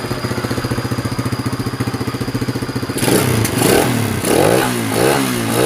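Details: Honda Sonic motorcycle with hard starting and poor acceleration, low compression, after fitting a replacement carburettor and tuning: steady pulsing idle, then quick clean throttle blips; starts and revs normally.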